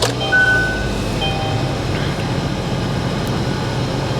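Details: Kia Optima with about 23,600 miles, started on battery at salvage auction; low even idle with steady rumble, no knocks or misses, sounds healthy.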